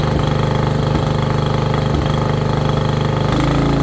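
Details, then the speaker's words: Free roadside riding mower, small single-cylinder engine, after a new battery and repaint: smooth, steady beat with no misses or knocks while a little smoke burns off, likely oil; starts right up, normal running. "motor runs good it's already slowing down start right up"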